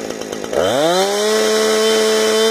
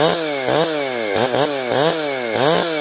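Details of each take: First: Chainsaw 455 with fresh round-filed chain, carburetor tuned: revs up in half a second to a clean, steady scream near 13,600 rpm at wide open throttle with no load, idle about 3,100 rpm; normal, not hitting the limiter early. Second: 455 chainsaw with rebuilt carburetor, high screw about a full turn out: revving repeatedly, burbling and breaking up at the top instead of screaming clean; bad four-stroking from too-rich high-speed mixture, high screw to be turned in.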